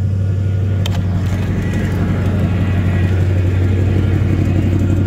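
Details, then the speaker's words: Crew cab V8 just after cold start: steady low idle with slightly uneven pulse, firing on most cylinders, smoke smelling mostly of condensation; owner suspects a possible head gasket; rough running. "it actually sounds like it's firing on most of the cylinders though that smoke just smells like condensation for the most part"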